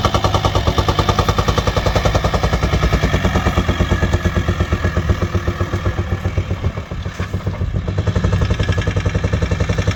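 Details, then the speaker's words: VW T5 long-wheelbase 4WD van, 2.5 BNZ diesel, bought as a non-starter: loud, rapid, even metallic clatter over the diesel idle; engine has no power and failed to climb a hill; owner suspects worn camshaft and hydraulic tappets. "As you can see in here, the engine has absolutely no power, it makes horrible noises, and I was trying to go uphill and didn't manage. I figured out it could be the hydraulic tappers and the camshaft, which is a common problem on this 2.5 engine."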